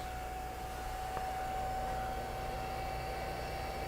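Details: Vintage Honda GoldWing motorcycle, ignition on, in gear with clutch lever pulled, microphone close to the neutral switch area: steady, faint mid-pitched electrical hum; owner suspects the neutral switch or neutral light circuit, not confirmed.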